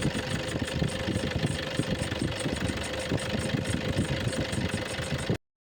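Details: Battery warning lamp on, battery not charging: steady idle with a light, quick ticking about three times a second over a faint whine; bad alternator pulley.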